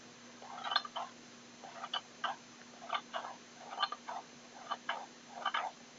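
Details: Xiaomi Mi Drone transmitter, right stick: sharp paired clicks and creaks every half second or so as the stick moves, over a faint steady hum; the control stick makes a strange clicking noise.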